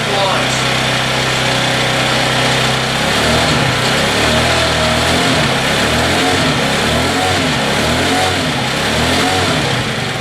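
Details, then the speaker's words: Scooter's first start after prep and oil change, fresh premium fuel, not revved hard: uneven sputtering catches, then a rough rising-and-falling run as fuel reaches the engine, which comes to life. "Alright, now that we have that going, it's running."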